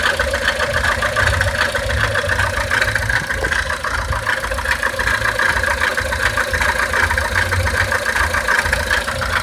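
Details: 1999 Honda Civic petrol engine idling after a timing belt job: thin high whirring and light busy chatter over the low rumble, an abnormal noise since the belt work.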